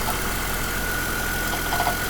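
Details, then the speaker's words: 2005 GMC Envoy 4.2L with about 65,500 original miles, idling after a rough start: steady high-pitched whine once thought internal like the camshaft; failing alternator, replaced only a couple of years ago. "it took me a while to figure out that the alternator was an issue and that's because not just a couple of years ago I changed this alternator"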